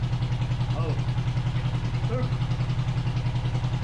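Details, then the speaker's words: 500cc twin-carb buggy on a stand, on choke warming up after sitting since winter: lumpy uneven idle with heavy low pulse and missing beat; one carb shows no vacuum, engine running on only one cylinder, suspected lack of fuel. "Yeah, put it on. We are only running on one cylinder. Yeah. The whole time."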